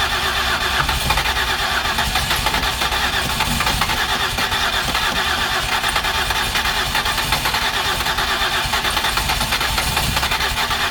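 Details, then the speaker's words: 2008 Ford Escape with prior repairs, finally started after a no-start, excess fuel suspected: lumpy, uneven idle under a constant hiss, cooling system heavily pressurizing; blown head gasket suspected. "you might have heard but you probably didn't see this thing is really pressurizing the cooling system"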